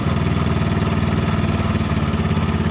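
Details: Normal idle of a Thunder 125 motorcycle engine swapped into a Carry 1.0 ex-angkot cut into a pickup; quick, even single-cylinder putter, plain pipe exhaust from a bent motorcycle header, warms up fast; no knocks or misses.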